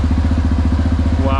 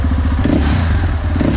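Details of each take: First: Crashed motorcycle under repair, first run after long storage on old German fuel, idling without being revved. A steady, low, even idle pulse with no knocks or misses; the owner says it runs like clockwork, a normal idle. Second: Crashed motorcycle under repair, first run after long storage on German fuel of unknown age. A steady, low idle beat that stumbles now and then; slight intermittent misfire, which the owner suspects is due to the old fuel.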